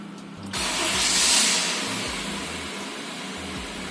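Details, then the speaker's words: 2016 Honda Mobilio E VTEC idling with one ignition coil deliberately disconnected: quiet idle with an uneven, stumbling beat and missing pulses. That cylinder doesn't burn properly; scan tool (G-SCAN 2) then shows an ignition coil malfunction. "Oke, putaran mobil sedikit agak pincang karena kita melepas salah satu koil sehingga pada salah satu silinder tersebut tidak terjadi pembakaran yang sempurna."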